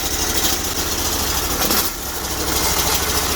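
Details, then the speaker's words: Bolens 1600H hydro tractor cold start at about -7 (feels -12), original oil, old battery, choke on: steady idle that sags and stumbles briefly, then recovers; owner thinks choke should stay on longer. "So choke on. Not bad. Probably should have left the choke on a little bit longer. Starting to shutting it off there."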